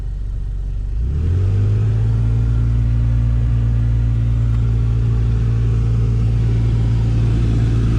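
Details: 2013 Ford Escape heater blower fan running with the blower wheel packed with mouse nest debris after the heater quit: steady low hum and drone that climbs as the fan spins up, then holds rough; airflow still partly plugged.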